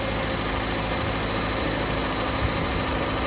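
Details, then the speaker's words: 2007 Jeep Compass 2.4L after starter replacement: starts, then smooth, even idle hum with no knocks, ticks or misses; loud cranking fixed, engine healthy. "So moment of truth, battery, everything installed. ahead and start it off. You hear the car? Started. Everything is right."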